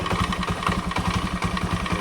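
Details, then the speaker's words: Scooter at idle before repair: rapid steady clatter of about eight knocks a second from the CVT, caused by worn loose roller housing bushing, with badly deformed rollers found on disassembly. "Ini motor bat kalau kita hidupkan itu punyai menggeletek di daerah CVT ya. Coba kita hidupkan ya. Ketika dalam kondisi stasioner begini ada bunyi gelitik di dalam CV ini."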